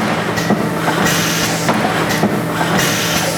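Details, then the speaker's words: Servo pusher pleating machine with forward timer set to 400 ms: slow cycle over steady motor hum, clamp clunk, pause, then hiss each stroke as the clamp closes before the pusher bar goes forward. "I can put 400 milliseconds in there and that will really slow the Machine down"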